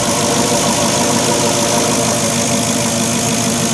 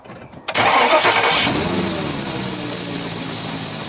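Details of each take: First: Porsche Cayenne Turbo 955 engine idling after a boost leak was repaired with silicon hoses and a tee: smooth, steady idle with an even rumble, no ticking or hissing; sounds a lot better, normal idle. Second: Porsche Cayenne Turbo 955 at idle with a strange ticking and air-leak noise: loud, constant high hiss of escaping air from a pipe that had been rubbing on a pulley and gradually wore through.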